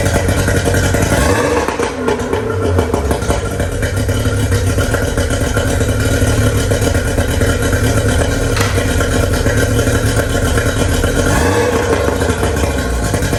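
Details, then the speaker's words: Outboard on a 1999 DuraCraft 1648 bass boat that sat at least six years, running on muffs on ethanol gas: an uneven, sputtering beat with stumbles, missing at wide open throttle; a clogged carburetor jet is suspected. "she's a little sputter I let her run for a while and forward and you know wide open it sounds like it's missing a little bit I said it's probably a Clogg jet on one of them carburetors"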